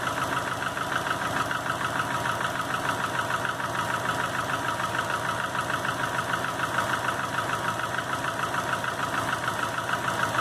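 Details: 2005 Subaru Legacy GT rebuilt (refurbished block, new crank and bearings, used rods/pistons and heads) after spun rod bearings; warm idle oil pressure 22psi, new plugs, no exhaust leaks, used VF40 turbo: sharp regular tapping about three per second at idle, cause unknown.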